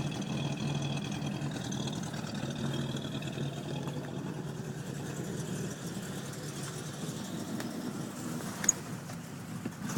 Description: Cold start 4.1L carbed Buick Electra it sat for 20 years in a garage I've been workin on it for a while